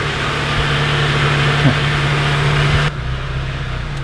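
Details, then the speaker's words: 2007 Mazda Miata with swapped 2.5 engine: steady low whine over the idle for about three seconds, then dropping away; suspected power steering pump, either not tightened well or holding a lot of air. "can you hear that supercharger one yeah aka power steering well you either didn't tighten it up good or it's just got a lot of uh air air in it"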